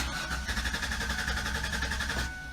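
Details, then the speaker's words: 1996 Ford Explorer that sat two years: steady starter whirr with even cranking beats for about two seconds, engine never catches; owner suspects fuel pump, fuse or relay, unconfirmed. "well I hate to say it but maybe it is the fuel pump"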